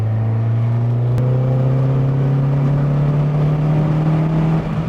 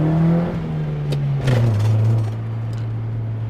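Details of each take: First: 1989 Honda Prelude Si on faster road, previously cutting out near 4,000 rpm: engine pulls up smoothly with steady rising drone, no stumble or cut-out; healthy under acceleration. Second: 1989 Honda Prelude Si while driving: engine drone eases down from a rev then hangs high around 3,000 rpm with no throttle held; idle takes off for no reason.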